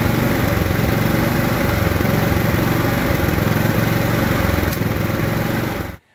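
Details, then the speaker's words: Riding lawn mower engine running terribly before carburetor rebuild: won't idle, backfiring; uneven chugging with stray pops then quits; dirt in carburetor suspected, to be cleaned with new gaskets and seals. "maybe it doesn't start very well takes forever to crank over and finally start maybe it only runs when you have the choke on or maybe it sounds like"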